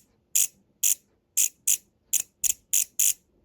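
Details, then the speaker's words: New relay in an NX Audio MT1601 power amplifier (no output on channel A): eight crisp, clean clicks with no chatter. It works normally, while the old relay would not click. "Now let's check with this new relay. You can hear the clicking sound on this new relay."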